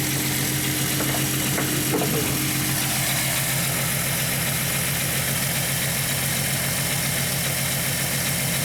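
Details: 1998 VW Eurovan, 174,000 miles, warm idle, codes P0304 and P1216 among others, check engine light flashed on road test; lumpy, uneven idle with an irregular exhaust stumble and visibly shaking engine: cylinder misfire.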